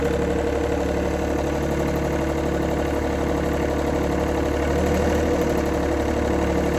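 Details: 1990s John Deere F1142 diesel mower, cold January, started via jumper wire, fuel shutoff solenoid not working: even three-cylinder diesel clatter at steady idle, about four beats a second with no stumble. Runs fine on its own.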